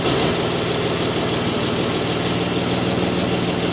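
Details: 2002 Isuzu Rodeo LS 3.2 L with severe misfiring and low power: idle uneven with an irregular loping beat; reversed upstream O2 sensor connectors skew fuel trims, bank 1 very negative, bank 2 very positive.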